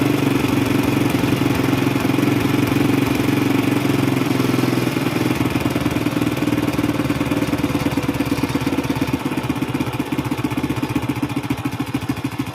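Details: Single-cylinder carbureted motorbike with a black spark plug, hard starting, quick stalling and high fuel use, during a carburetor service; weak ignition voltage was later found. It ticks over at a fast, steady, even putter, slowing slightly toward the end, and the idle sounds clean.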